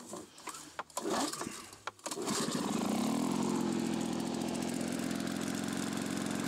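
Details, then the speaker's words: Lawn-Boy mower engine after repairing holes in the crankcase and rusted exhaust muffler: a few sputtering pulls, then it catches and runs loud and uneven, beat wavering; owner suspects mixture setting needs adjusting. "tourne pas très très bien oh la vache ça fait du bruit"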